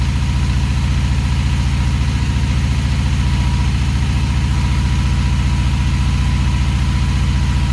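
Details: Honda Magna VF750C with jet kit (larger fuel jets), cold and warming up, button or relay sticking: deep, lumpy idle with a slightly uneven pulse, no clear rise or fall; consistent with carburetors out of sync.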